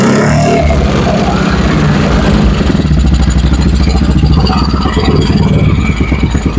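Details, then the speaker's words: Carbureted Honda Vario 110 after engine rebuild, exhaust-mic throttle blips: clean, even rise and fall with no knock or rattle, sounds smooth and healthy; carburetor (PE) still needs resetting; earlier noisy exhaust. "Oke, teman-teman ya lembut ya suaranya ya. Nah. Oke. Lembut ya, ini tinggal settingan karburatornya saja karena karburatornya pakai PE teman-teman ya."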